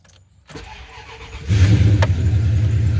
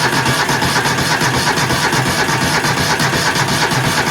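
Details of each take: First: 1996 Ram jumped with an EverStart 1000 A pack: a second of steady cranking, then it catches quickly and settles into an even, strong idle; a healthy start. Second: 20 hp engine with a dead battery, jumped with an EverStart 1000 A jump pack: steady, strong cranking about three beats per second, but the engine never catches.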